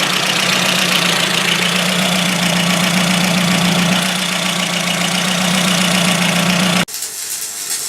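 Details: Ford Focus MK1 RS, frosty cold start after sitting about a week, new battery: steady idle with a slightly uneven, lumpy beat of about four pulses a second; misfire developed after a drive around the block, cause not confirmed.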